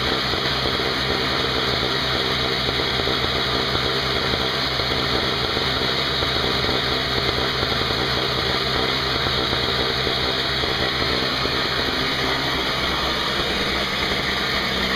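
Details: Craftsman 5hp 21" two-stroke snowblower test run outdoors after carburetor repair (leaking fixed), 20:1 fuel mix, not started in a while: steady even buzz at one speed, no stumbles or misses; running normally.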